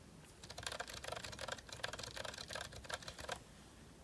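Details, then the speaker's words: GK61 hot-swap keyboard, Zilent V2 62g switches lubricated with thick lube, 1.5mm thick OEM PBT keycaps: soft muted clacks at an uneven typing pace, no spring ping on the upstroke; lubed switches sound smooth and quiet. "so we'll see what they start sounding like when they are lubricator versus unlubricated this is the lubricated side"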